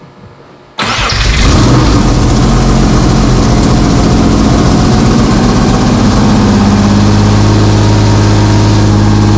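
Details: Subaru SVX after replacing parts and JB-welding a broken vacuum fitting back on: engine cranks and catches, then holds a steady, slightly fast idle; high idle from a vacuum leak that may persist.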